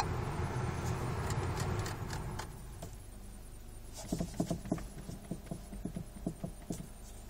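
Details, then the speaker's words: Peugeot 3008 with the steering wheel in its top position and pulled fully out: light, irregular clicks about three a second from the steering column. The knock disappears when the wheel is turned slightly left or right and is less in neutral. "Машина не заведена, руль в верхнем положении и максимально вытянут на себя. Вот в таком положении стук наблюдается."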